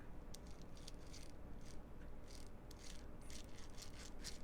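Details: Prewar Lionel 259E locomotive, wheels spun by hand: fast, dry rattling grind from worn drive gears still meshing roughly.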